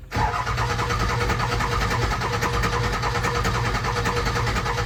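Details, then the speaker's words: Ford 7.3 Powerstroke diesel truck starts straight away with a steady clatter and no misfire, and takes a little throttle fine. This follows pulling the injectors for troubleshooting and re-torquing; an earlier fuel pump and return spring job hadn't fixed it. It runs much better; oil flows from front injectors 1, 3, 5 but not 7. "Well, truck started fine. It sounded like it was running fine. I did give it a little bit of gas and everything was good."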